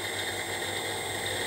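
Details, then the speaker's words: Brushless motor driven by an ESC on a 12 V supply, speed set by potentiometer, bench test before fitting to Fryer mini mill spindle encoder: clean, steady high whine with faint fast buzz, no rubbing or ticking; normal running. "okay and i can go and i can change the speed of the motor"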